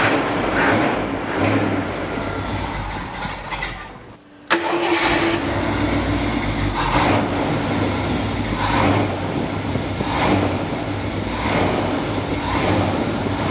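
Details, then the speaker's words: 1978 Jeep J10 Honcho V8, carbureted, restarted after sitting 20 years: dies, restarts with a sharp pop, runs lumpy with surges about every second and won't idle; the accelerator pump goes down but doesn't return, needing manual lifting. "So what I'm doing is every time Jeremy hits the gas, the accelerator pump goes down but doesn't return."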